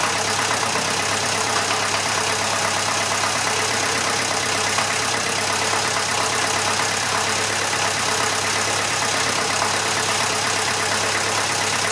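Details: Massey Ferguson 35 (835) tractor with Standard 23C diesel, first start in over a year: steady, even idle clatter with no misfires or surging; some blow-by for its age, suspected coolant leak from a failed hose clamp, normal idle.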